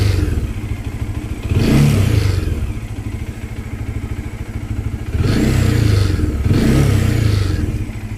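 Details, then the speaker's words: Bajaj Dominar 400 motorcycle idling, blipped three times: light buzzy clatter rising with each rev from a loosely mounted, rattling part causing vibration noise. "Isa siya sa pagbibigay ng hindi magandang tunog sa motor natin pagka nagsis silinyador"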